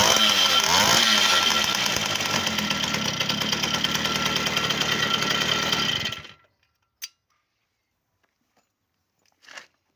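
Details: V50 two-stroke after full overhaul with a Dio piston: crisp, even high-pitched buzz for six seconds, then cuts off cleanly; engine runs perfectly.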